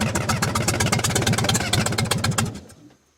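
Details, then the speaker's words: Cat 922 loader diesel on a frosty 0-degree morning after a cylinder head removal, valve work and reinstall. It clatters at a quick, slightly uneven idle with a wavering beat, then shuts off. Owner unsure whether it is sucking air into the fuel. "Well, that's better. Well, there seems to be a lot of air. I don't know if I'm sucking air or or getting rid of it slowly."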